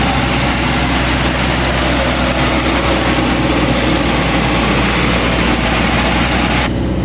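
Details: 1985 GMC Sierra S15 (S10-type) 2.5L four-cylinder, straight-piped after a plugged catalytic converter was removed, suspected head gasket issue. Hot engine idles loud, raw and too high with a faint occasional stumble; the idle control valve is suspected.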